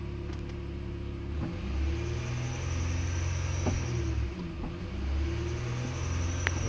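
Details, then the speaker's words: 2008 Honda Ridgeline 3.5, code P1659, AC off, pedal pressed fully: low idle only swells slightly, never reaching 3,000 rpm, with ABS, VSA, VTM-4 and check engine lights on. "Push the gas. See, as I'm pushing all the way down, the RPM will not go, not even 3,000. Not even 3,000 RPM."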